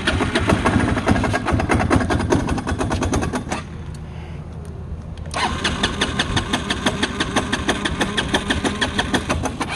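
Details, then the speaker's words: Chinese Feishen FA-D300 300cc 4x4 ATV, warmed up after 10 minutes riding, in neutral: uneven single-cylinder idle with sharp metallic pinging, dips and nearly stalls; runs fine on throttle; owner suspects crank bearing or piston rings, unsure. "so it'll drive the ride's fine when you're on the gas then it dies sounds like it's pinging pretty bad"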